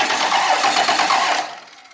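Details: 1998 12-valve diesel truck that was in a fire, cranked over with a little ether: quick, even cranking rhythm with steady pulses and no drag; has compression, spins over healthily.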